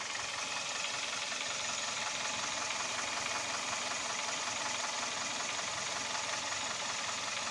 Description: G4KD KIA стук поршней и вибрация на холостом ходу, стук при частоте вращения двигателя 1500 об/мин, шум при трогании с места под нагрузкой (виде включенного компрессора кондиционера и обогревов зеркал, стекла, сидений).